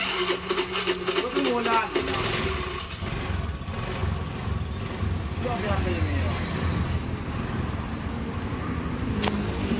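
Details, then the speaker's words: Carbureted Honda Beat scooter whose starter only clicked despite a good battery, after rewiring the starter relay wire at the CDI to ground: brief whirring crank, engine catches at once and settles into steady idle; starter works properly. "bisa kalian dengarkan ya teman-teman jadi starter langsungegreng itulah cara mengatasi starter bat karbu Bunyi ceteketek atau sangat mudah sekali"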